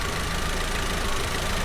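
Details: 2019 Audi TT 2.0 TFSI, about 50,000 miles, engine light and hesitation: rough, uneven idle with a dull stumble every few beats; scope testing on the coil traces the misfire to cylinder 1 ignition.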